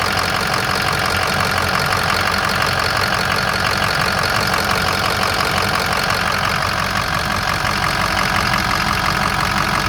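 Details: 2007 Ford F250 4WD, 6.0 diesel, 147,000 miles, idling: steady, even diesel clatter with regular beat, no misses or puffing; no blow-by, no coolant system pressure from EGR or oil cooler; healthy, smooth normal idle.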